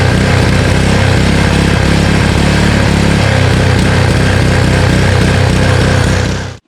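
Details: Honda Harmony HS520 four-stroke single-stage snowblower after carburetor clean and governor spring and idle screw adjustment: steady single-cylinder chug at even speed with no rise and fall before shutoff; runs healthy without surging.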